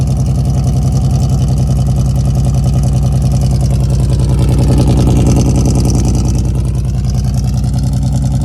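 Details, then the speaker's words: 1999 Chevrolet S10 ZR2, hot-air intake swapped for a regular air box. Runs fast and uneven with steady popping, about 3.5 per second, plus vibration and grinding. Not a misfire; owner suspects a bent rod. "It's popping real bad from the motor. Sounds like a misfire almost, but it's not a misfire. I think I got a bent rod, I'm not gonna lie."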